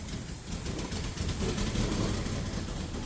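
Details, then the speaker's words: 2006 Ford Falcon after adding a few liters of new fuel: engine runs rough, beat surging and sagging unevenly; fuel filter and spark plugs may be recommended, in-tank fuel pump condition unknown, possibly rusted. "Alright, it's running. It's not happy, but you know, at least it tries to go."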